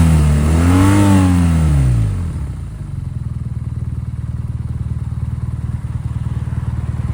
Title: BMW R NineT rough idled…. Any ideas?